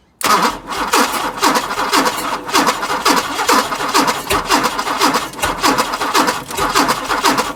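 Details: Chrysler CM Valiant, Hemi 265 six with rebuilt starter wired through a bypass switch: steady starter cranking about two beats a second, engine turning over evenly but never catching or firing.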